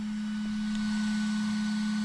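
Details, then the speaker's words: GMC Yukon Denali after HID-to-LED conversion, second set of LED headlight bulbs: one bulb's cooling fan gives a steady, pure high whine while the other is whisper quiet; possibly a stronger fan or one nearing end of life. "now does that mean that one doesn't have a stronger fan I don't know or maybe it's this one like at the end of its life but they've always been kind of loud it's just interesting"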